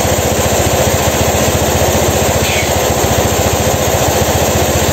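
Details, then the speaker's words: 2016 Honda Scoopy eSP ISS fuel-injected scooter, brought in dead with blown ECU, after repair, running while an area is checked for heat: steady, even single-cylinder idle at fast regular beat, no misses or knocks; normal idle. "Itu motornya sudah nyala Coba kita sedikit kasih geberan ya teman-teman"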